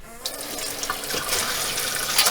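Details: RV 5th wheel onboard water pump after installing a Lucosobie pressurized accumulator tank spliced into the PEX line: faucet opens to a smooth, even rush of water with no pulsing or surging.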